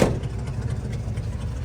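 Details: 1967 Ford Bronco, original 289 V8, three-speed manual, after carburetor change, points service, new starter and alternator: deep, steady low rumble with even beat after start-up, no misses or knocks; healthy idle.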